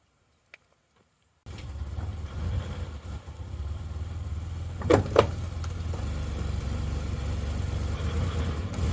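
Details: 2000 Mazda Bongo 2.5 V6 petrol at idle without revving: low, lumpy idle that sags and stumbles every few seconds, a bad misfire trying to stall. Owner suspects the ignition leads.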